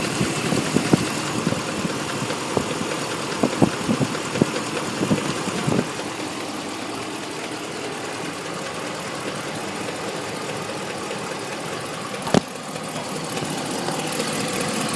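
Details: 2014 Ram 1500 V8 at idle with uneven, sharp knocks over the steady hum, strongest in the first seconds; suspected valve train knock, not confirmed.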